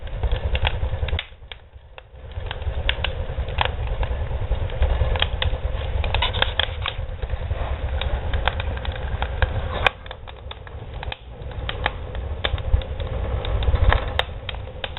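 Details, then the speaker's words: Homemade barrel woodstove with modified air intake, door opened slightly; deep uneven roaring rumble with crackles and pops as the fire is starved of air and pulling for more; air-starved fire rumble. "the rally me is not suck enough air now I get more air that's what that rally is it's trying to find air"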